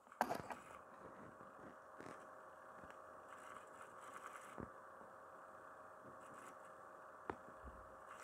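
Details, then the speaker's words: Laptop (XMG Ultra 17) 1 TB hard drive making unusual noise: faint steady hum broken by occasional sharp clicks every couple of seconds; owner finds it odd, suspects the drive may be failing, unconfirmed. "na hallo sicherte zuschauer schön dass ihr eingeschaltet hat und heute gemerkt meine festplatte macht komische gerüchte ein terabyte"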